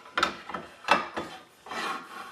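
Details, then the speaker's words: Accu-Slice carriage sliding on the rail: harsh rasping metal scraping in short strokes because a roller bearing was mounted upside down and misaligned; reversing the bearing made it work perfectly. "up metal scraping it just is just not aligned and that's because that bearings on upside-down"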